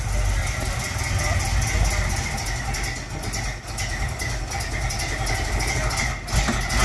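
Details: 1957 Galileo Special, first start after mechanical restoration, cold, in park: deep, steady V8 rumble with an even beat and no knocks or misses. Normal cold idle.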